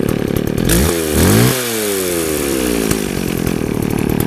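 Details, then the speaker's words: McCulloch 610 24-inch chainsaw, after air filter cleaning and a new plug, chain still loose: blips up and drops back cleanly twice, then a steady, even idle; nice idle with good power. "Idle's nice though. Got good power."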